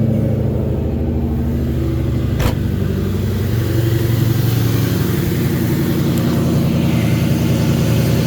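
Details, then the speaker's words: 1998 Ford Mustang GT 4.6L 2-valve SOHC V8 running after alternator replacement: steady, even note with no whine or rattle at the front of the engine; old alternator was loud, now quiet and healthy. "oh it's nice and quiet up here the old one was making a hell of a racket and now it's nice and quiet so nice"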